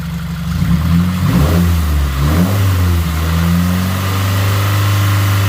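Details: Subaru WRX 2.0 engine, first start after replacing all valve shim spacers, cooling system being bled: catches, flares briefly, settles into a steady even idle with smooth low drone; normal.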